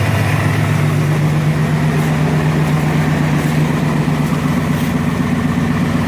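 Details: Yukon cold start at 26°F after sitting unused for over two weeks. A loud, steady low roar and droning hum over an even cold idle as the fan clutch engages just after the start: fan clutch engaged on cold start.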